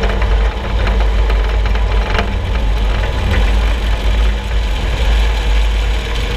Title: Suspension Noise 6Nov16 [loud]